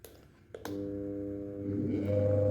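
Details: Switch click, then a steady electric hum from a fan motor straining without spinning; blades had to be turned by finger to start, shaft loose and wobbly.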